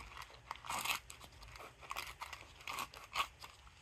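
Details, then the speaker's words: 2009 Volvo C70 front strut, combined spring seat and strut bearing turned by hand: rough, crunchy grinding in uneven bursts from a worn strut bearing, so worn it broke apart when pried from the mount. "And this also has the strut bearing in there. Spring seat strut bearing combo. And as you can hear, this one is really gritty."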